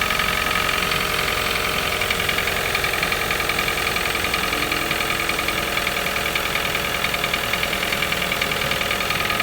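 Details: Toyota 1NZ-FE cold start: loose, uneven tapping over engine hum, a few knocks a second, every morning, fading after a few minutes, slight rattle possible when very hot; cause not pinned down.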